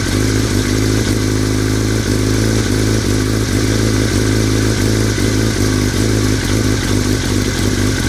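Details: 2003 Yamaha R6 that started rattling after a trip to Europe: loose metallic clatter pulsing steadily with the four-cylinder idle; source unknown, unclear if normal.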